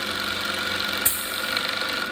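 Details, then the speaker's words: Small salvaged air compressor first run, hose plugged off: steady, fast, buzzy piston hum at an even pitch, building pressure quickly against the blocked hose. Normal running under load. "plug it off and see if it'll build up a little bit oh yeah you hear that this building up pressure pretty fast too"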